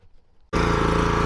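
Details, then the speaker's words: 3000 PSI petrol pressure washer, first start after replacing its seized pump with a new pump: the engine catches and holds a steady, even drone with a fast uniform pulse under spray load. Power is strong; the wrong hose fitting leaks a little. "have a small leak from the fitting, but watch this. Very hard to do one hand. That is powerful."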